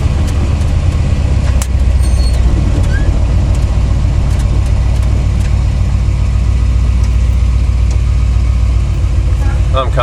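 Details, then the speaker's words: 1982 Chevrolet C30 1-ton ramp truck after fixing wedge-style brake caliper rattle: night test drive on a rough road gives steady engine drone and road rumble with no caliper rattle from the front wheels. "he's fixed I didn't hear I mean before it'd be around around around around a rattle real bad annoying bad"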